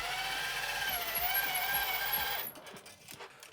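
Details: 1985 Tomy Chatbot robot driven by remote control forward, turning and reversing: busy buzzing gear whir with a steady ticking about four times a second, then a clean stop; drive motors work normally.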